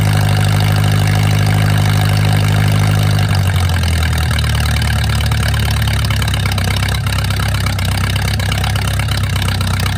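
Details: Mercruiser 470 3.7L marine engine, first run in 16 years after fuel reached the carburetor; fast idle dropping to lower steady idle after three seconds, running evenly. Automatic choke not working properly, owner suspects his wiring. Normal idle.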